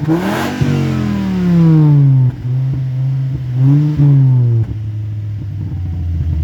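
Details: 2004 Volvo S60 2.4 5-cylinder, broken leaking rear backbox: revs rise and fall with raspy, blatty note horrible at low revs, sounding decent at high rpm; exhaust leak.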